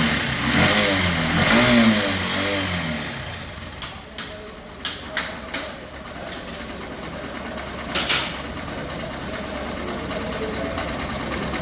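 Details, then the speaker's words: SP 125 bike: small single-cylinder engine revving and settling to idle with a light metallic rattle from the timing chain. "SP 125 बाइक है। प्रॉब्लम यह है कि इसके टाइमिंग चैन से आवाज़ आ रहा है।"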